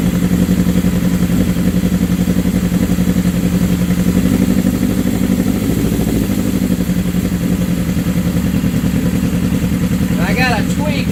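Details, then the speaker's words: 1979 Suzuki GS750 four-cylinder with rebuilt carbs, idle turned up after first start in over a year: a strong, even beat at fast idle with no stumble or miss over eleven seconds, running clean; normal. "Oh, that's strong. That's the best she's had in years, man. Woohoo!"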